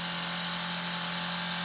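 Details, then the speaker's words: Cheddar Pintail live steam unit, about 2 cc, apparently fully original, first test: steady, even steam hiss over a constant low hum with no knocks or misses; runs very well. "alors ici ça va nous faire une rivers accueil de l'at il marque même bruit nickel il a vraiment 1 1"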